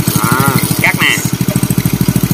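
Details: Customer's Indonesian Honda Win single-cylinder motorcycle after engine rebuild, clutch rebuilt, idling: steady even thump about thirteen beats a second, no rattle or clatter; runs smooth and quiet with no clutch whine, normal idle.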